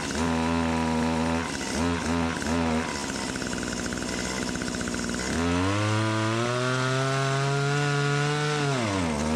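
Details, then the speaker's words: Stihl HS80 hedge trimmer two-stroke, idles fine but falls on face at throttle: buzzy revs stumble and sag, climb and drop, bogging at wide open; choke was partly on during test, revved up on half choke; exhaust screen not the cause. "But anyway, wide open, it was bogging down. I gave it half choke. She revved right up."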